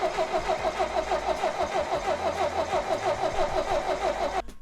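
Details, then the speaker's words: 1962 International Harvester 2404 tractor, sat since 2020, after throttle linkage adjustment: steady starter churn about three turns a second for nearly five seconds, never catching; no fuel reaching the carb because of a broken fuel line fitting, later replaced. "I had to make a couple adjustments to the throttle linkage, and basically I had a fitting broke for a fuel line, so I had to replace all that, and then about another hour later."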